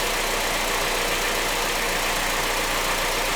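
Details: 2009 Honda CR-V idling after a vacuum brake booster repair, with short-term fuel trim reading 10.9 and expected to drop toward 0: a steady, even idle under a lot of hiss, no stumbles or misses; engine healthy, just a touch loud.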